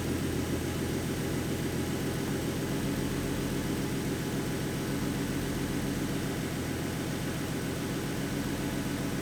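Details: 2014 Ford Mustang 3.7 V6 after replacing the water pump with the new-version design: a smooth, even idle with a steady low hum and no knocking or grinding from the water pump; the earlier noise is gone and it sounds healthy.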